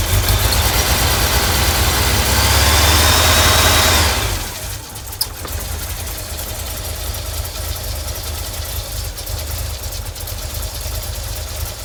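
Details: 1989 VW Vanagon 2.1 WBX: a loud burst, then a lumpy, rough idle at about four pulses per second after new fuel hoses and a new fuel pressure regulator. The owner suspects poorly seated injectors.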